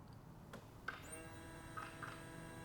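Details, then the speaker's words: Key-on buzz test on a turbo engine build, pump wired to the ECU, before first start: a couple of sharp throttle body clicks, then a steady high electric buzz with a thin whine as the fuel pump primes normally. "and you can hear the pump buzzing back there all right so that's Buzz test number one"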